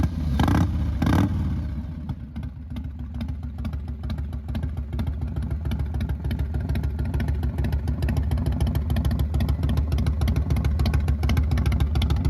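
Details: 1999 Harley-Davidson Fat Boy after new Wood Performance cam, lifters, cam bearing and adjustable pushrods; two quick blips then steady loping even idle without ticks or clatter; runs clean, timing may still need a slight tweak.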